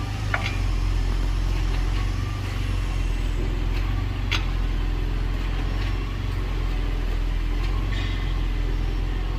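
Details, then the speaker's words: 2020-2022 Ford Explorer police vehicle shifting park to drive or reverse after repair: the metallic ting-pop from the rear is gone; steady road and engine rumble with only faint brake squeal from galled, shiny rotors and suspension loading. "all right no more ting popping going on what you hear is the brake squeal because of how gold over the rotors are"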